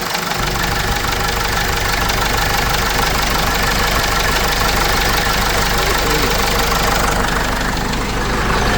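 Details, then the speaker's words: Case 586E Cummins 4BT diesel, about 4,000 hours, after teardown with new pickup tube: sounds better but slight knock remains, uneven tapping three to four per second at idle; owner guesses main and rod bearings needed tightening, undiagnosed. "But this thing sounds a lot better. It's a slight knocking though, which I can live with, and I should fix it because I'm OCD on this shit."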